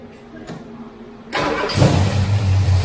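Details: First start-up of a 9-litre big-block V8 in a Ford Torino, headers freshly painted: quiet until the starter catches, then it fires cleanly and settles into a deep, steady idle with no knocks or misses; normal first start and idle.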